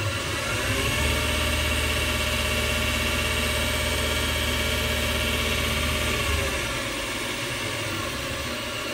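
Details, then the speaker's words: Lathe after new V-belt setup, running wide open: smooth steady hum with no squeal or chirp, quiet where the old belt squeaked. "I mean, before you could hear the other one squeaking. This thing is quiet as a church mouse."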